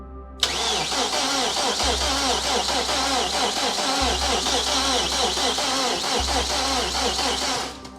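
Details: Freshly rebuilt BMW S14 engine in an E30 M3, first start with spark, fuel and DME power confirmed: starter spins steadily about seven seconds, never fires; fuel send and return lines installed reversed, return line blew.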